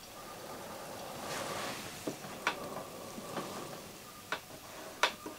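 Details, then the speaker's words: Old Schneider CDP7000 CD player under repair: faint, uneven clicks about once a second over soft hiss as it jumps while hunting for a track; ticking during track search, a track-seek problem. "look at this jumping you loosen this you can hear this this is interesting it's a it's a search it's also the track a track problem"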